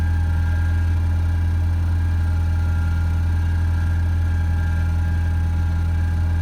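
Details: Ford Ranger swapped with a 2.0 EcoBoost, cold start after cleaning intake-valve carbon and an oil change to 5W30 synthetic; smooth steady idle hum, no misfires, whereas before it misfired, stalled and threw P0507.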